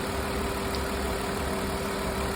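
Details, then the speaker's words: 2002 Ford Escape after vacuum leak repair for low erratic idle and lean condition: smooth, even petrol idle, no hiss, idle speed now at desired RPM though fuel trims still slightly off; normal idle. "I will say the vacuum leak is gone I can't hear it anymore um it's idling way smoother"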